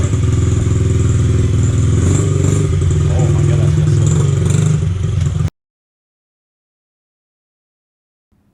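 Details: 2003 Honda XR50 (CRF50F) automatic-clutch single running after clutch adjustment, before new spark plug; quick even thumping about three and a half beats a second, then shut off: normal running.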